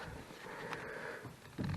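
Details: Engine off, turning the steering wheel gives a low rubbery groan and creak in bursts; owner suspects the suspension strut top mount (copela) is worn and plans to replace it.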